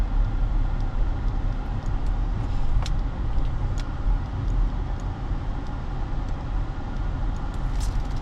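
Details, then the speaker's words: Hyundai Sonata New Rise used-car test drive over speed bumps. Smooth, even engine and road rumble with no knocks, ticks or whine; suspension shows no problems and the transmission responds quickly: normal driving. "제가 여기서 한번 쉬운 전 방지턱도 한번 방지턱을 이렇게 넘어가 봐도 어떤 소이 나거나 그렇지가 않거든요"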